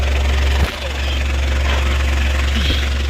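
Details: Citroen Berlingo after a new down pipe and exhaust were fitted, heard at the tailpipe and back box during a leak check; steady, even, smooth idle hum with no puffing or ticking, exhaust sealed.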